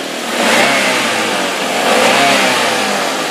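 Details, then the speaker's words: 2011 Daihatsu Granmax pickup 1.3 manual, engine revved: two clean rev rises and falls, smooth and even with no knocks, ticks or rattles; the engine is healthy, only the valve cover gasket seeps. "coba di sedikit digeber sedikit digeber terus digeber pun aman gak ada suara yang aneh-aneh gitu"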